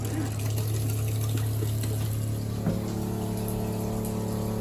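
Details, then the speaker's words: Motorhome water pump running with all taps closed: steady low motor drone with a rough churning pulse, not shutting off because air is trapped in the system. "if the water pump keeps running and none of the taps are open that usually indicates that there's a air block or air in the system"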